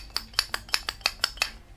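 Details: Old brushed DC motor from a razor scooter that sat for a while: sharp metallic clicks about five per second as the motor is shaken; something has come loose inside and rattles, cause not confirmed.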